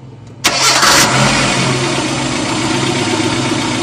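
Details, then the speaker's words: Engine with MAP sensor connector unplugged (D-EFI injection system, MAP as main sensor): short crank catches and settles into a flat, unchanging idle that will not climb; starts but will not rev when throttle is applied. "mau hidup hanya di gas tidak mau oke"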